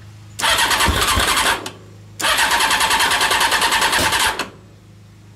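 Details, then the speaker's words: Honda CBR600 carbureted engine in home-built reverse trike, fuel pump hose off for testing: two bursts of harsh cranking, no run, sharp backfire pop; owner suspects a bad fuel pump; cranks without starting. "backfired it's a fuel pump bad i wonder if that is the issues i've been having maybe maybe it's just a bad fuel pump because it's not dead battery but it's not working"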